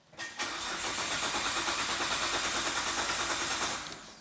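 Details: Neglected Nissan R32 GT-R of unknown history, with a suspected kill-switch relay: starter churns steadily for about 3.5 seconds but the engine never fires; crank-no-start.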